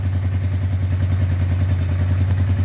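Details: Honda Deauville 650 twin, being restored, running after the electrical fixes: a steady, even low thrum with a regular beat and no misses or clatter. It idles smoothly, though the owner believes the carb diaphragms need replacing.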